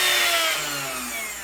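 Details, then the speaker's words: 3018 CNC router with its worn original spindle motor replaced by a faster one, running a 30-degree 3-sided bit: a high, loud whine with several steady tones that sag slightly in pitch, possibly resonance at this speed with no speed controller; cause suspected, not confirmed. "but I mean, this almost sounds louder than when I first put it in there. Hear that sound? I can't see it shaking so much, but"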